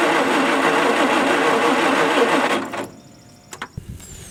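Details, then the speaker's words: Old Ford skid steer after ignition switch replacement: steady starter cranking about three and a half turns per second with no catch, then stops; pulled plug wet with fuel and apparently unfired, so fuel delivered but apparently no spark and no combustion. "there's a lot of fuel on here so the the motor is definitely cupping the fuel through but we're not getting any combustion"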